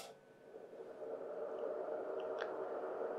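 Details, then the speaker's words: Dazheng PS-605D bench power supply: a steady, loud airy fan roar that never cycles down because the cooling fan runs constantly; the planned fix is a thermostat switching at 40 °C and a quieter 12 V fan. "I don't know if that's coming across well on on the video but that the fan is obviously on constantly"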